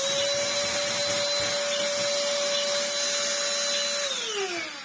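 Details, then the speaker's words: 10V Black & Decker DustBuster Flexi overdriven on a higher-voltage supply: high steady clear whine, then smooth wind-down; motor spins fast yet moves little air, suction still poor. "wow that's spiced it up a bit it's still pretty rubbish though"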